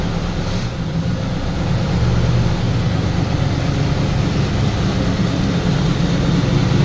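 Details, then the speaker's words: Turbo Trans Am at first start after partial overhaul: cylinder heads revised, new camshaft, valves adjusted, new turbo, break-in oil. Held at raised rpm for a 30-minute break-in. Deep, steady drone with no knocks, misses or rattles; oil pressure good. Normal fast idle. "Uh the car was starting out and I start to uh I started the breakin period. Now I let it run for 30 minutes in this RPMs and then braking time is done. Sounds good so far."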